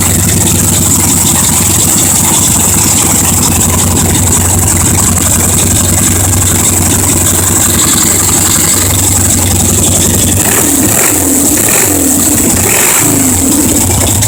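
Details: 1977 Harley Ironhead, fresh rebuild from scrap parts, first start-up fed from a remote IV tank with no fuel tank or seat fitted: a loud, steady, even V-twin beat with clean throttle blips and no knocks or misses. Normal running.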